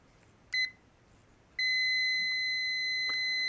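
A short high beep, then after a pause a steady clean high tone that holds; the meter's continuity buzzer is sounding normally.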